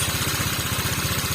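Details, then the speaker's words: Honda Vario 125 Techno water-cooled scooter with an overheating warning, original bore, just started: even idle at about fourteen pulses a second, smooth and steady with no knocks or misses; a healthy idle. "Oke kita hidupkan Hai Ah ini baru ya oke suaranya bagus suaranya halus"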